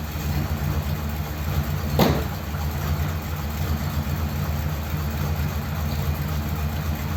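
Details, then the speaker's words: Ford Thunderbird started after sitting unused for ages, nothing done to car or battery, no choke: low steady idle with slight unevenness and one brief rush of noise; idles a little rough. "wasn't too bad was it considering i didn't do anything to it the idol's a little bit rough it hasn't got a choke"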